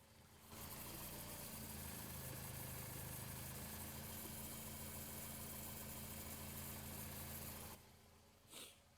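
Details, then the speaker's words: Car with broken motor mounts, mic held close under the car at idle: a faint, even whirring hum under the engine note, pulley-like but not a pulley; owner reported a pulley noise. Whirring noise, source unidentified. "But there is something that I keep hearing. It sounds almost like a a a pulley, like a motor like, but it's not."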